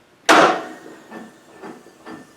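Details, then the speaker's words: Craftsman T100 lawn tractor with Briggs Intek engine after sitting all winter, choke on: one heavy clunk then a few dull knocks, no cranking; engine suspected hydrolocked, oil overfilled, starter and compression release doubted. "Trying to turn it. I don't think it's a starter. And you know what? I don't think it's the compression release either. I think this thing might be hydrolocked."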